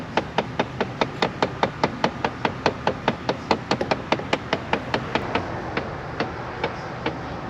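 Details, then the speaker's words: Chrysler 300, steady hollow knocking from behind the dash at about two and a half beats a second, heard after a window motor replacement; cause unconfirmed. "got mice in there I thought I had mice playing the drums or something sounds like a blend door motor well no it's definitely mice playing"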